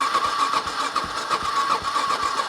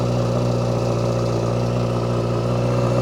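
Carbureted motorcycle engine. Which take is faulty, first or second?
first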